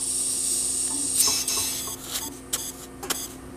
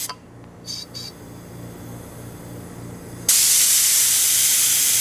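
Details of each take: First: GE Monitor Top Type CA refrigerator float chamber, empty, air hose injecting air before repair in normal position where it should block; steady high hiss leaking past the needle seat, then handling knocks; float needle valve bypassing. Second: GE Monitor Top Type CA refrigerator float chamber after needle valve seat recut, blower air applied; faint puffs while closed in normal position, then a sudden loud steady hiss when flipped and the float opens; normal float valve operation.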